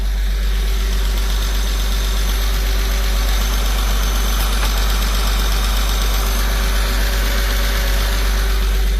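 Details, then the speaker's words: Porsche 986 Boxster first startup after IMS bearing and other parts replacement: smooth even petrol idle, no more exhaust rattle or noisy AC compressor. "As you can see, there's no more noise. There's no more noise from the exhaust."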